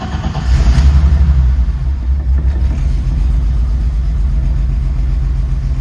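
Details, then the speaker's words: 1989 BMW E30 325is, next day after JB Weld exhaust patch, fresh gas, injector cleaner and new air filter: loud raw deep rumble on rev settling to a blatty unmuffled idle; less bad than before, but exhaust still leaking at bottom of header. "So, so it doesn't sound quite as bad. We definitely still have a leak down by the bottom of the header."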